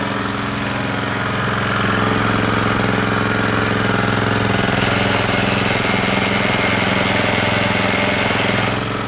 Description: Toro GM1600 making noise when drive is engaged.